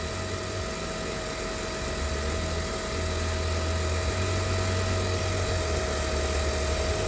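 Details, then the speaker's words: 2008 Jeep Grand Cherokee 4.7L 4x4, came in with a dead battery and smoke from the fuse box: steady mid-pitched whine over low idle; the alternator has failed with about 400 mV of AC ripple and can't output, pointing to failed diodes. "we probably can't put a more overload because this alternator failed i can't output that's why it's screaming"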